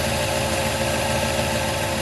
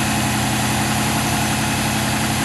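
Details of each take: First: LS1 turbo one-tonner running on E85, cold idle after months dormant, oil pressure good: steady, slightly uneven lumpy beat, no knocks; owner suspects a lazy Walbro 460 fuel pump corroded by E85 giving low fuel pressure and rough idle. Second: LS1 turbo one-tonner on E85, revived after months dormant, with a new Walbro 525 pump replacing a worn 460 and cleaned injectors. Fuel pressure holds about 50 psi while it warms up; smooth, even idle with no misses, knocks or surging, now running properly.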